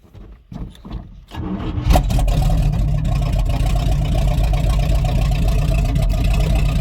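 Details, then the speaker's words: Rotted squarebody Chevy 454 big block, on jumper cables with the fuel pump switched on: a couple of cranks, then it catches and settles into a deep, steady, even rumble that the owner says sounds good, though it was then dripping hydraulic fluid. "I don't really want to keep running it she sounds good"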